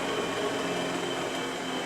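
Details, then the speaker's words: Delta 6-inch variable-speed bench grinder, new out of the box, running smooth and quiet with a steady even hum and faint high tone; no knocks, rubbing or wobble, working normally. "It's uh seems to be running good. It's nice and quiet. I like the variable speed on it."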